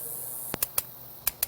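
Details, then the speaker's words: Gas grill electronic igniter tested after a new battery was fitted. Six sharp, crisp clicking snaps as it sparks, showing the igniter works normally. This grill has three igniters. "Hear the clicking? That's telling you that it's working."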